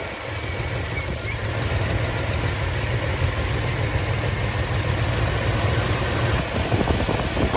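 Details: 1966 Plymouth Fury III Poly 318 V8 after a new coil and spark plug, distributor cap and carburetor work catches and settles into an even, steady low-rumble idle with no misfire. A dirty fuel filter and a fuel leak were noted.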